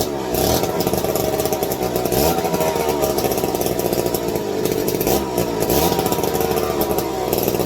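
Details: McCulloch 250 chainsaw with Tillotson carb, sat in a shed since the late 60s or early 70s, revived: loud, crisp two-stroke buzz holding steady without stumbling; runs strong, though idle screw found all the way in, suggesting past carb/idle problems.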